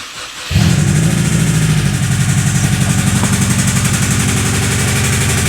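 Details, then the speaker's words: Subaru WRX blipped to 1500–2000 rpm: catches, then runs roughly with a heavy, uneven knock about four times a second that comes and goes between revs; the knock seems to come from the passenger side. "although it sounded like a lot I was only revving it up to 1500 maybe 2000 RPM just to give it a few quick blips there and you can hear not on the way up and not on the ramp down but just randomly in between the noise would go away"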